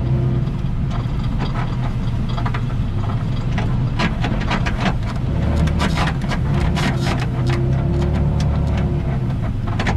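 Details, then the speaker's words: Toyota Tacoma with OME BP-51 suspension, driving with bolts loosened after silicone spray: irregular sharp crackles and snaps over low road rumble; suspension bushing crackle persists, cause suspected, not confirmed. "I just took the daylights out of it, so now it's still crackling. So now I'm leaving it loose and I'm gonna drive it just to fuzz."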